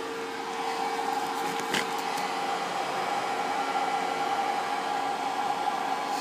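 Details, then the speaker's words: Pinzgauer 710K Eberspächer B4L/BN4 gasoline heater, bench-tested on 24 V before restoration, switch on first stage (blower only, low, no heating): steady, even fan hum with no rubbing or rattle; blower running normally. "the first stage of the switch turns on the light and turns only the blower low heating at this point just the blower working perfectly and you can feel it coming down here"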